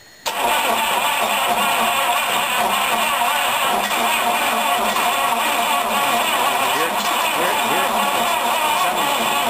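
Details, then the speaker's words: 1953 Cadillac after a 6 to 12 volt conversion with a resistor for the 12 volt coil, solenoid smoking, battery charging: strong, steady cranking that turns over well but never fires. Owner feels it is almost there. "I think it's just almost right there let me just hit a time or two and see what it sounds like"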